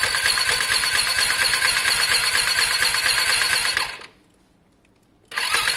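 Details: Lexmoto Diablo 125cc moped bought for parts, fully charged battery: fast even hissy cranking about three beats a second, spins too freely, never fires, "close to firing up"; oil found; crank no-start, low compression.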